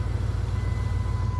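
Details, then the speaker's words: 2001 Dodge Ram 1500, under 120,000 miles, idling with a steady low even rumble, no knocks or misses; earlier no-start was the shifter not fully seated in park, now starts and runs normally. "no problems now just the seat belt light there's all but everything's fine you can hear the motor"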